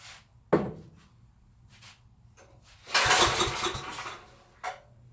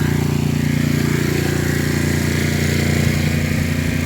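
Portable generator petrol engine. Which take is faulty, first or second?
first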